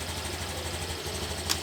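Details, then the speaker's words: Brand-new Honda Beat LED scooter, remote-started without the key after installing a CR7 PNP alarm: a steady, even idle putter with a smooth low drone and no knocks or misses. The MIL stays off, with no error indicated. "nah ini mesinnya udah nyala dan ini terbukti aman ya lampu mil Tidak nyala tidak ada indikasi kerusakan ataupun error"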